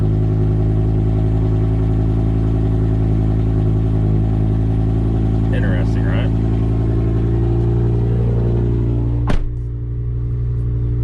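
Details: BMW E60 M5 whose cold starts had grown rougher (owner suspects unreplaced coil packs), idling after the cold-start roughness settled: steady, even, smooth low drone with no lumpiness or misses; normal idle.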